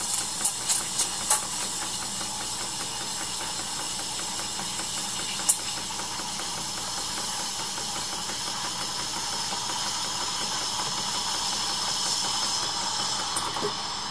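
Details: Decent Espresso DE1+PRO, about a week old, steaming about 200 ml of 2% milk for roughly 40 seconds: loud, even hiss with light chatter underneath, normal steam wand frothing.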